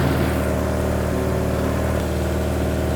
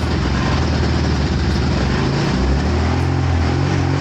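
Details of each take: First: 1986 Suzuki Katana, unstarted for 31 years, after swapping wrongly numbered plug leads for cylinders 1 and 4: steady, smooth four-cylinder idle with no misses, all cylinders firing, though running very rich. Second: 1986 Suzuki Katana four-cylinder, first start after 31 years, running on choke: rough, throbbing idle swelling and sagging about every second, firing on only two cylinders per exhaust temperature probe; owner suspects a failing coil pack.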